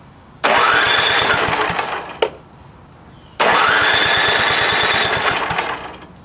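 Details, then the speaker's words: Vintage snowblower engine, fuel tank not connected, primed through the plug hole: two short bursts of about two seconds each before dying; float stuck in the carburetor bowl, fuel starvation. "I guess it's some ugly crap. So nothing was getting in there from the gas line. That float is just stuck."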